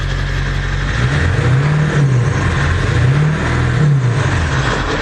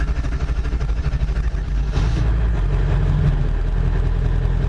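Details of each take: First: 1999 Ford F-350 Powerstroke diesel after an engine swap, 4-inch exhaust, still some bugs to work out: deep diesel rumble rising through a couple of throttle blips then settling to a steady, even idle; runs healthy. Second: 99 Ford F-350 Powerstroke diesel after engine swap: slow uneven labored crank before firing due to air in high-pressure oil system feeding the injectors; hard crank before start.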